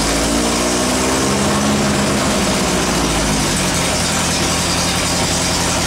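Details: VW after transmission work: engine runs steady through the gears; all four forward gears and reverse shift with no crunch or grind.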